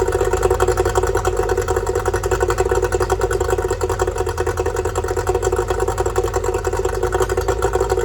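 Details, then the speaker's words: Yamaha two-stroke outboard after repairing oil leaking out of the carburetor: steady, even idle with a fast regular buzzing pulse and no misses or stumbles; sounds healthy, normal idle. "that looks good sounds good too"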